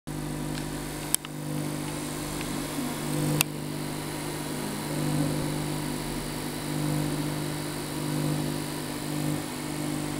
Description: APC BI850SINE Humming sound on inverter mode.